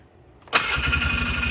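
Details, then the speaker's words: Polaris Sportsman 500 H.O. ATV after fixing a no-crank no-start: the broken cranking wire to the solenoid, on the far side of the ignition, was soldered and heat-shrunk; it catches at once into a steady, clean idle, a normal start. "it fires right up so if you have a no crank no start issue I recommend you start with checking your wiring harness"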